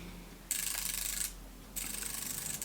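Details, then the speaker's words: Braille display just switched on: quick crisp rattling clicks in two bursts of about a second each, the normal cursor clicking. "just letting this know that it's on you can hear the clicking sound that's the cursor clicking"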